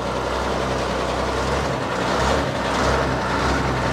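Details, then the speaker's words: Log loader diesel just started after refuelling, hour meter reading 91.72, hydraulic fluid not yet checked: deep, even idle with a steady low rumble and no misses or knocks; engine sounds healthy. "Maybe it sounds great though what's that engine sounds good"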